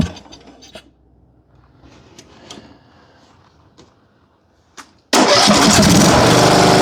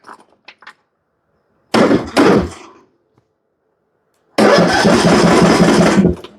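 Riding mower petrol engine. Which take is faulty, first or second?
second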